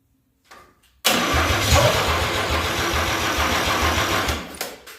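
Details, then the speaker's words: 261 straight-six engine at its first start attempt; it catches after cranking, runs roughly for about three seconds, then fades and dies instead of settling to idle; the engine fires briefly but does not sustain. "it worked it went to fire again okay let go here grab the kill switch or should I hold it no no it's okay"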